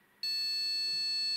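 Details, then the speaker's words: Gigabyte GA-H110-D3A (rev 1.0) motherboard rebooting with black screen, never reaching BIOS, speaker fitted: single steady high-pitched beat lasting just over a second; POST beep code pointing to RAM, fixed by new memory. "That's actually what was the reason for a long, shorter jump until the speaker Inserted in the end it turned out that the whole reason we have in the RAM"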